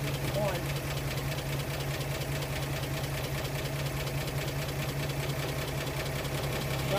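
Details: 1937 Pontiac Silver Streak barn find, long sitting, after filing and refitting the ignition points: settles into a steady, even low hum with no misses or knocks; fires cleanly and runs smoothly.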